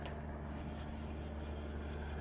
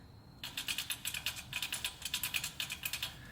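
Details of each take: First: After replacement, the new rear wheel bearing on a 2005 Toyota Corolla S (about 167,000–176,000 miles) turns with a smooth, steady low hum, no rattle or knock; very slight brake-shoe rubbing that should settle. Normal wheel bearing. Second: 2005 Toyota Corolla S, about 167,000–176,000 miles, rear wheel with drum brake: sharp light clicks, roughly six to eight a second, as the hub turns by hand; no play felt and nothing rubbing, so a failing rear wheel bearing is suspected; hub assembly replacement planned.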